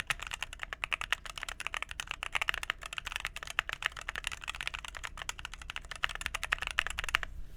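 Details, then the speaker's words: Phoenix45 keyboard, red aluminum case over brass weight, 2U backspace: fast, even typing with soft muted clacks and no hollow ping or rattle, ten times better than before. Normal typing sound. "That backspace sounds good. Yeah, that sounds 10 times better."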